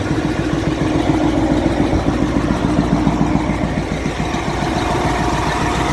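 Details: Caterpillar 988F2 loader diesel with hard starting and heavy black smoke: uneven knock about three or four times a second at idle; broken cylinder 5 injector hold-down bolt let the injector pop up and leak fuel.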